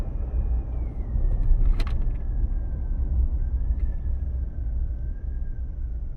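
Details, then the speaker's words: 2022 Chevy Silverado 2.7 L turbo pulling away slowly gives a thin steady humming whine over road and engine rumble; others call it normal for the turbo engine, but the owner doubts it. "once I start moving you guys will hear it more"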